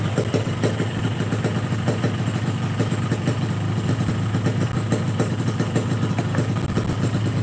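Even, low two-stroke idle burble holding a steady beat with no misses or rattles; a healthy, standard-sounding idle.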